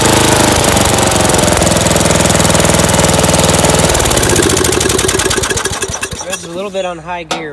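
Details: Dynamark 11hp 36-inch lawn tractor running with no air filter fitted: small single-cylinder pounds fast and hard, then winds down and dies, idling too high. Owner suspects missing filter or a carb needing adjustment or replacement.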